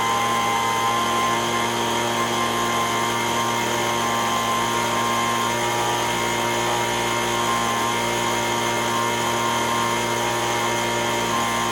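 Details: Echo ES-210 handheld two-stroke leaf blower, 15–20 years old, after repair of RPM surging: full throttle, steady high-pitched scream with no surging or hunting. Tachometer reads 7,100 RPM against a recommended 7,000–9,000. Normal full-throttle run.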